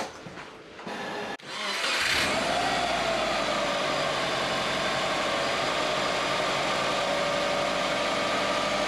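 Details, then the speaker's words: Subaru squeaky drive belt (squeal rose with revs, not power steering, unaffected by clutch, quieter when warm) after re-tensioning via adjusting bolt: starts and settles to a steady idle with only a faint thin tone left; belt sounds better, AC pulley bearing still suspected. "Oh, that sounds better."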